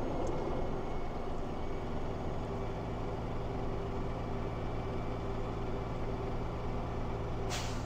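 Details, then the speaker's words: Air brake truck at held fast idle building air pressure: steady idle rumble, then one short sharp burst of air as governor cuts out at full pressure between 120 and 140 psi and dryer purges; normal. "all right as you all heard the governor sneezed the air pressure is full between 120 and 140"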